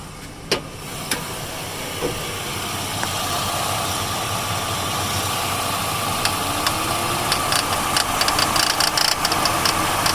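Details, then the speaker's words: 2002–2007 Jeep Liberty engine idling with a light, uneven ticking rattle and knock from the belt drive, caused by a bad belt tensioner; replacing it fixed the knocking. "That's a bad tensioner right there, Jeep Liberty."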